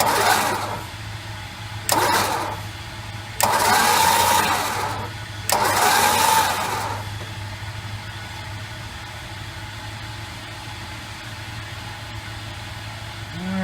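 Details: 1968 Chrysler 300 with 440 engine, long-sitting car, on jack stands after oil and filter change: four even cranking bursts with no binding, catching or clatter; footage confirms all valves opening and closing smoothly.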